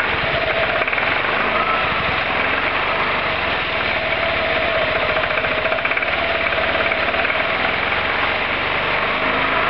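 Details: Roketa MC-54-250B scooter single, 1730 miles, stalling at every stop: uneven revving with a ragged beat and no steady rhythm; intake and exhaust valves had no gap at TDC, fixed by adjusting valves.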